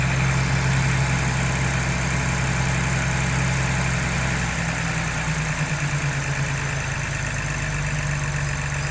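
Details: 2022 Ford Bronco Badlands 2.7L EcoBoost, cold start in a garage with the hood open: steady high fast idle with a light rapid ticking from the injectors and high-pressure fuel pump, plus a faint transmission whir. This is normal.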